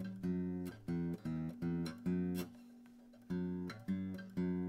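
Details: Zager acoustic guitar after a truss rod (neck relief) adjustment to cure string buzz: strummed chords ring out clean with no rattle or buzz under the strings; relief now set right.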